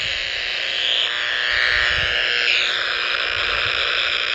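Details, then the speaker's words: Power line interference heard on an Icom R30 communication receiver: a harsh, hissy buzz with a fast rough pulse that fades as the receiver moves away from the transformer. Owner suspects a bad or loose ground or a lightning arrester. "see i can walk away see look here i can walk away from the transformer and the noise is going and the noise is gone"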